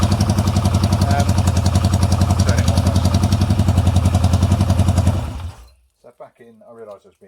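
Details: Yamaha XS650 twin thumping heavily at about three beats a second with a lopsided beat, then cutting out; running on one cylinder, one pipe much cooler. Coils were swapped with no change; owner doubts it's the coils, cause uncertain.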